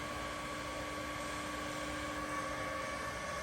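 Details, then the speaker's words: Seiki (Taiwan) WH-430X1000G precision tool room lathe, spindle running at 1350 rpm: even hum with faint steady gear whine, no knocking or rumble; healthy normal spindle. "Working of spindle at 1350 rotations per minute."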